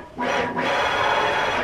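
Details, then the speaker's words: DIY CNC build driven by Mach3, long ball screw at a fast rapid feed of about 6,000 or more: a harsh, steady rasp with a ringing tone as the axis moves; the screw is too long for this speed and is whipping badly. "whip whip whip yeah let's make it eight so it becomes more [Applause] terrible everything"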